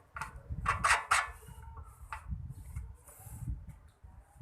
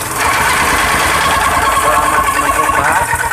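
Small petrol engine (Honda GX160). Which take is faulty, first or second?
first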